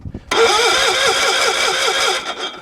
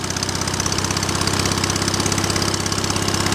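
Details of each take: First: Cold-weather start attempt on a small engine: fuel pump heard priming, choke on, push-button start. The whining starter wavers for about two seconds without catching; it cranks but won't start. The owner then notes the fuel needed turning up. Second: Small single-cylinder engine running after a cold-weather start (fuel pump primed, choke used), fast, even putter at a steady speed with no misses or surging; runs healthy.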